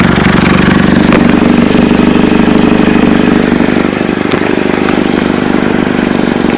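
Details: Chevy Cobalt at idle: loud raspy, puffing tick on the exhaust note at a steady beat; exhaust leak suspected at flex pipe, manifold, or both, not confirmed.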